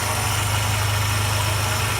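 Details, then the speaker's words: Mercedes M111 four-cylinder at almost 400,000 km, after lifters began knocking following an oil change with flush. Pan cleaned and oil pump repaired. Smooth idle with a steady low hum and no lifter ticking; normal idle, the fault was in the oil pump. "компенсаторы не стучат так что пацаны белого бывает не всегда компенсатора дело может быть вот тут вот в этой херни [ __ ] в насосе"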